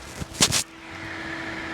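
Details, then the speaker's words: Radioddity H1 cooling bracket fan on a Xiegu G90 radio, switched on after the radio was heated past 110 degrees transmitting 20 W indoors: clicks, then a steady, even whir over a low hum. Temperature dropped 15 degrees in seconds; the fan works normally, just fairly loud. "so already we can see temperature going down quite a bit i want to keep keying up so we went down 15 degrees in a matter of seconds key down let's see if it goes down anymore on key that'll probably start going down quick you can hear the fan really working"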